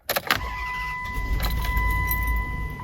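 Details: 2004–2009 Dodge Durango 4.7L V8 with intermittent crank-no-start, after a wet ignition part was replaced: key rattle and door chime, then the engine catches quickly and settles into a smooth idle near 1,000 rpm, down from about 1,500 before; clean start.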